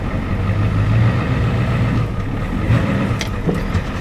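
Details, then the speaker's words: Diesel farm truck, rarely driven, at idle: low, uneven clatter with lumpy, loping beat and shaking; owner suspects weak injection pump or an injector not working or over-fueling one cylinder. "Yeah, it seems like the injection pump is kind of weak on it, because you'll step her down, goes, and it kind of got a loppy idle to it."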